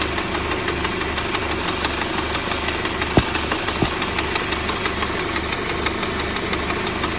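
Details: Peugeot 308 at steady idle with a frightening rhythmic knock from under the hood, a thud about twice a second plus sharp clacks; the cause turned out to be the alternator belt.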